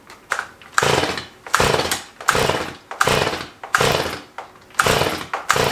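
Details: Stihl MS211 chainsaw during restoration test fire; repeated rapid cord pulls, each a short cough that dies, won't catch; flooded, owner weighing too little fuel, too much fuel, or fuel not burning.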